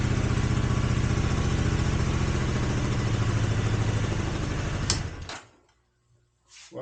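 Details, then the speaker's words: 1983 Honda GL650 water-cooled transverse V-twin, sat outside 30+ years, carbs cleaned, on choke: steady even idle with smooth regular beat, no misses, no smoke, then shut off; normal idle. "looks like a good engine starts right up doesn't smoke now this is after sitting for 30 years and it wasn't inside either it was outside somewhere"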